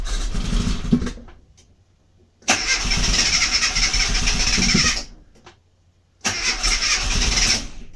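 Three cranking bursts of about two and a half seconds each, the starter spinning briskly but the engine never catches: crank, no start.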